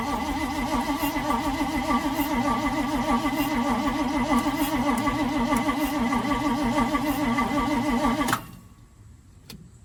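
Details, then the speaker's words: 1971 Chevrolet C40 truck after carburettor cleaning, fuel smelled but no spark: even starter cranking at roughly three and a half beats a second for eight seconds, never catches; distributor cap installed backwards. "It seems like there's no spark. Plenty of fuel in there, because I can smell it, but why isn't it getting any spark."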